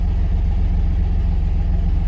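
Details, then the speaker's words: Chevy 3500 with low oil pressure gauge reading, oil pressure sending unit replaced, gauge still reads the same: deep, steady idle with even low rumble, no ticking or knocking; normal idle. "Gauge reading is the same, but as you can hear, the motor is not kicking or anything."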